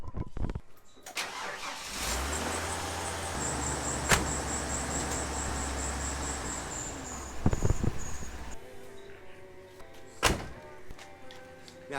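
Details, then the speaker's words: 1992 Ford F-150 4.9L inline-six, just back together after a head gasket job: cranks and catches with a high chirping squeal over the idle; belt or tensioner suspected, maybe from a loose bracket. "to me like that squeaking is not going away so I'll probably end up having I'll probably end up having to get attention or belt on that"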